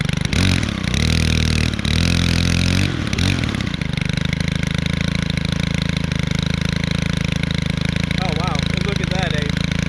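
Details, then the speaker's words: Stihl 4-Mix four-stroke trimmer started for the season: steady low burbling idle, then held at higher revs, running smooth and even without misses. "Still started. Just listen to that. Um that idle sounds like a getting current. And then when it's revved, sounds like a ATV."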